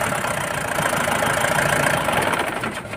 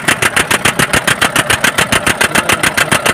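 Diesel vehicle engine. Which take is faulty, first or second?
second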